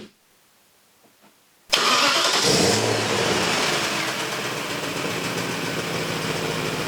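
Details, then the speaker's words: BMW E31 840ci, M62 V8, after manual transmission swap and new 2.5-inch exhaust with cats, X-pipe, resonators and mufflers: quiet, then sharp flare and deep even burble staying smooth; sounds really good. "Man, that sounds good. Sounds really good."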